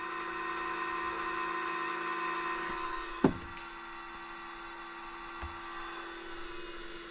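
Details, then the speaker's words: Cummins ISC 8.3 diesel, sat overnight to replicate problem, key on with INSITE connected: electric lift pump hums with rough flutter, clunks, then changes tone as it picks up fuel and labors; air in fuel at lift pump, air intrusion source being isolated. "hear that lift pump it's got air in it right now"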